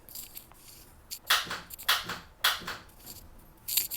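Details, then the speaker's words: Honda Civic race car: several sharp clicks each time the key is turned, with no cranking. The owner suspects an insufficient ground strap from the chassis to the transmission/starter rather than a dead battery. Not confirmed. "so I believe what I've ran into in the past is that I have an insufficient ground I've tried to clean it up I've tried to do this but I believe this is the actual culprit"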